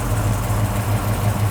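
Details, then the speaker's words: 1969 Chevrolet Chevelle V8 with a big cam, first fire-up on a new FST Billet X-treme carburetor, still warming: deep, even burble with no misses, but idle sits a bit high at about 900 rpm. "let me check the idle speed in rpm it sounds like it's a little bit high but again let's let it get a little bit of heat before we change anything"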